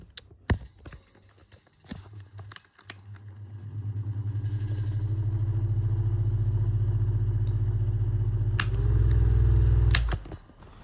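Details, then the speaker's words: Vintage desk fan, either the Tatung DS-9C (PSC motor) or the 1980s Pifco 1061, due a service: it spins up to a steady low hum with a faint dry rumble. The motor bearings are dry and need oiling. "Again, one more listen to the dry bearings on this thing."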